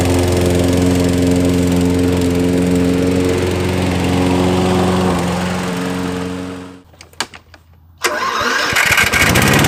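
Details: Nearly new Toro mower after repair, air filter reinstalled, ethanol-free fuel: steady even drone for several seconds, shuts off, restarts cleanly on electric start; running normally.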